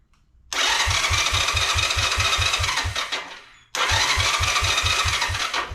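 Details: Long-parked 1986 Honda Fourtrax 125 single-cylinder ATV, key on with neutral light, before carburetor cleaning: two cranking attempts at about four even compression strokes a second that never catch; it has spark, fuel starved from a clogged pilot jet.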